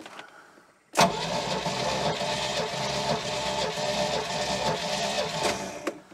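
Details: 1973 Larson boat, Mercruiser 120hp 2.5L, compression test: about five seconds of even, fast cranking whir with no firing or labouring; starter spins engine freely; cylinders read 150, 150, 140–145 and 149.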